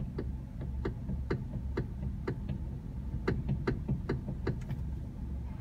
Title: Hyundai Elantra Steering Knocking noise